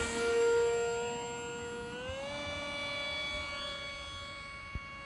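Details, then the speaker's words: HobbyZone AeroScout 1.1m RC plane electric motor: whine climbs slowly and steadily over a couple of seconds instead of jumping up, as the speed controller is set to a slow throttle ramp the pilot wants reprogrammed. "Really? Yeah, because I do not like the slow ramp up on the throttle. It's terrible for me. Because I'm like, I'd like some power now."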